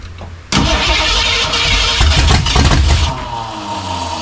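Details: 1967 Mustang drag car, first start attempt of new engine: starter cranks, engine suddenly fires and roars about two and a half seconds then fades out; won't keep running, accelerator pump suspected dead, fuel delivery doubted.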